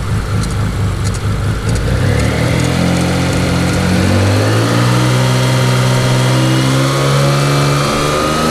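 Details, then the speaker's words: Mitsubishi 3000GT VR4 built engine, about 200 miles on cheap pulleys, run briefly with alternator off and running lean: revs from rough idle with a thin rising squeal following engine speed from the middle; owner suspects water pump, humming possibly from front pulleys. "that's definitely my water pump that's in that initial squeak noise coming right from the middle of the car but that humming noise might have been one of those pulleys up front"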